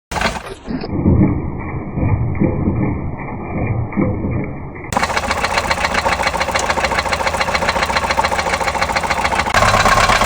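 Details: Toyota Corolla petrol engine running: a steady, repeating knock of about three to four beats a second; engine knock.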